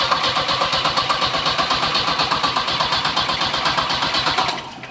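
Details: Volvo 740 with a big turbo that keeps blowing fuses; wiring harness being cut open to find the fault. Starter grinds at an even beat, a little under three pulses per second, then drops off without catching. Main fuel pump is suspected, not confirmed. It cranks but won't start.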